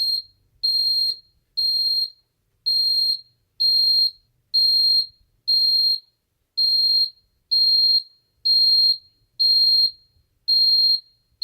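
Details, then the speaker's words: Ademco 6139R alarm keypad armed away: high-pitched beeps about once a second, each broken up; the sounder stutters, worse than other keypads, especially when the display changes; owner guesses it has to do with these older keypads. "You can really hear this thing stuttering now. It's quite a bit worse than some of the others. And it stutters, if you notice, it stutters when the display changes."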